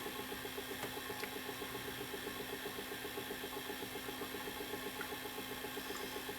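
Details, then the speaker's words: Panasonic PV-4361 VHS VCR with the picture shaking side to side, in forward/reverse search: quiet mechanism with a steady fast ticking of about eight clicks a second; the capstan motor is missing a phase. "a feeling it's to do with the drive I see over here it's like we're missing a phase"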